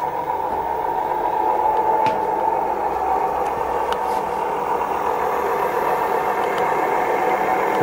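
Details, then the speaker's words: Dual Moto electric scooter wheel after being hit by a car, bearings with heavy play: steady coarse rumbling roar "like a train" from worn rear wheel bearings; front already replaced sounds like new. "sounds like the train so I have to repeat the procedure on the back"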